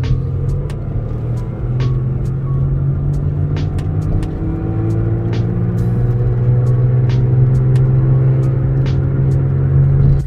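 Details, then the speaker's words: Car driving and accelerating: steady low hum growing louder and rising slightly with speed, the telltale sign of a bad wheel bearing. "there you should have been able to easily hear that loud humming noise that i'm talking about this is the telltale sign of a bad wheel bearing"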